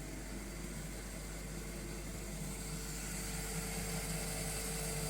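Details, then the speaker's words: Schaublin 102N-VM lathe after cleaning of its drive system, first run. Steady, even hum from the motor and spindle drive with no knocks or grinding; the spindle runs normally, though the power feed and gearbox are stuck and not engaging. "Everything sounds good, but the power feed and the gearbox is stuck."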